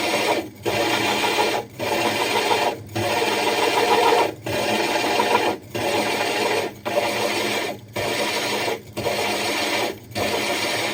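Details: Diamond hole saw drilling the glass of a 60 breeder aquarium: even rasping grind in roughly one-second bursts with short pauses as pressure is lifted and reapplied and drill power varied; normal steady, controlled cut.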